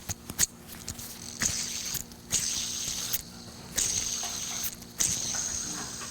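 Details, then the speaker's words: Old idler pulley removed from front engine accessories at a 2000-hour inspection, spun by hand four times: dry gritty whirr coasting freely, a worn bearing that causes whine. "okay you can hear that rattling noise in that bearing notice how freely it spins now"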